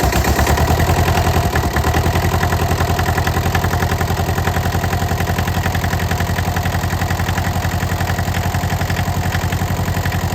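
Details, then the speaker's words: Cold start at about 28–30°F on a diesel with a suspect neutral safety switch and coolant drained; stiff, gummy throttle. Fast, uneven putter around 220 beats a minute that never settles: rough cold idle. "Its throttle's really gummy, really stiff. It's cold. I'm trying to get it idle."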